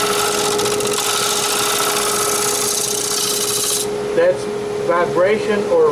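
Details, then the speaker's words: Wood lathe turning a spalted maple crotch bowl: steady hard buzzing chatter as the tool cuts back near the rim after the center mass is removed, thin unsupported wall vibrating, risking a catch and no clean cut. "chattering that's why you don't want to come back out here because a head to the rim once you've got the book out of the middle because it'll start to vibrate and you won't get a clean cut"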